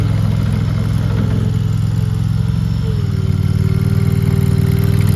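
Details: RODA RD380C mini skid steer loader, gas-powered engine: steady even beat with a firm low drone, no knocks or misses; sounds healthy.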